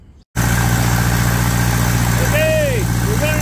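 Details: Onan 15.0 JC generator converted from gaseous to tri-fuel carburetor, running on gasoline, unloaded before a load test: steady low drone with an even beat right after start, no misfire or knock; healthy running.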